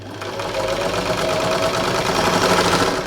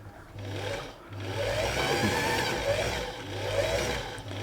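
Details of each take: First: Thrift-store Singer 328P sewing machine at first power-up before oiling: fast, even whirr with quick light patter, steady speed, no labouring or catching; motor strong, though machine needs oil; normal running. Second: Singer 328P sewing machine: motor whirs in uneven surges, speed sagging and catching; bobbin winder slipping, likely from too much oil contaminating the winder ring and hand wheel; ring may need replacing; thread also caught.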